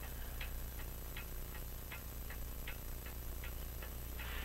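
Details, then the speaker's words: French crystal regulator clock with an open escapement and jewel-like pallets, sold as non-running, recorded with a dumpster-found microphone: crisp, evenly spaced ticks about two per second. It runs with a better beat. "the French crystal regulator with the open escapement yeah here it is with a better beat I think you can hear it"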